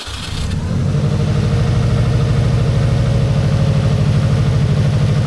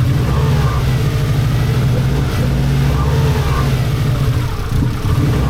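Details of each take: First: 1990s Japanese turbo AWD rally-bred car started after over a decade stored in a barn: catches within a second and settles into an even, steady pulsing idle with deep exhaust, no knocks or misses; normal idle. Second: 1990s Japanese turbo AWD rally car, barn find woken after over a decade stored; runs unevenly, loping and surging, held on throttle because it won't idle; cause not confirmed.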